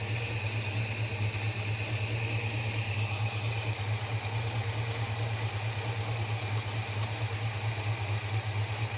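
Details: Holden HK at idle: a steady low idle with an uneven, lumpy pulse about twice a second that never settles, likely a misfire. It runs better than the day before but is still rough; the owner doubts the plugs are the cause.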